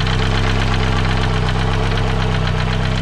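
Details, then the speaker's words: 1982 Renault 5 Alpine Turbo, heavy blue smoke on acceleration: rapid heavy knocking through a deep rumble under load; a clear internal engine knock. Owner suspects a bent valve hitting its seats, though the head was previously removed by a garage. "donc on a très clairement problème qu'est ce que je pense je pense soit une soupape tordus qui claquent sur les sièges de soupapes"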